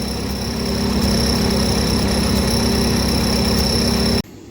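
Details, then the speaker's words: 1953 Ford NAA Jubilee tractor, which sat for years and got a new clutch: even, steady four-cylinder beat with no skips or stumbles before shutting off; running much smoother, with even heat across the cylinders on a cold start. "it's running a lot smoother so a lot easier to diagnose misfire out"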